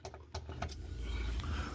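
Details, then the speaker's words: Maytag side-by-side refrigerator after replacing the failed evaporator fan motor, which had caused worsening loud rattling: a few light clicks, then the new fan running with a steady, quiet low hum as it should. "All right, there's our fan motor running. Nice and quiet like it's supposed to be."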